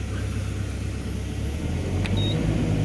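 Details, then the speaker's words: Excavator diesel during service, immediately after start; starts at once without long cranking; reading shows RPM "9.000", flow 738, power 49; deep, steady rumble, no hunting, knocks or misses. Normal running. "Tidak perlu start panjang, startnya langsung sekali jreng langsung hidup."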